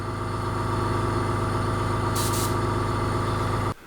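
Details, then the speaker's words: Fengda FD-186 budget airbrush compressor kicking in during spraying to top up air: smooth, even hum and pulse at steady pitch, then clean shut-off; quiet, healthy unit. "So the compressor's kicked in now, so I don't know how well you can hear that, but it's really not loud."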